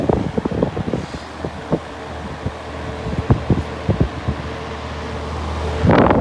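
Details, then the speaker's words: 1960s Penncrest model 22 (9722) hassock fan with a three-speed General Electric motor. Its earlier grinding has become a whirring on low, but it runs smoother than before. Steady low hum under a soft rush of air with no rattle or scrape; running smoothly. "Um, that grinding it's kind of turned into a worring noise on low, but it does run runs smoother than it did"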